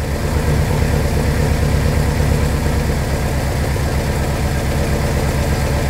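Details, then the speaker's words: 1969 Mercury Monterey 390 V8, first start in 16 years on a temporary fuel hookup with a primed carb that doesn't leak and is pulling fuel from the tank: a steady, even low rumble at idle with no ticks or knocks. Normal idle. "but i mean she's idling without a problem um obviously pulling fuel um because it's running on its own um there's no noises in this engine there's no ticks there's no knocks no nothing like that"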